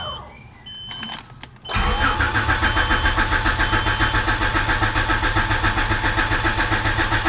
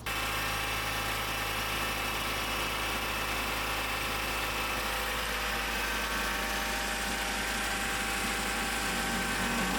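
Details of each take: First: Honda CRX after fuel tank and Walbro 255 fuel pump install: a few chimes, then a steady crank at about four turns per second that never fires despite the pump running; crank-no-start with no fuel delivery. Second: Honda CRX after a new fuel tank, Walbro 255 fuel pump and fuel filter install, with the leaking fuel fitting tightened so it holds pressure. A steady, even idle with a smooth hum and no misses, knocks or pump noise. The engine runs cleanly.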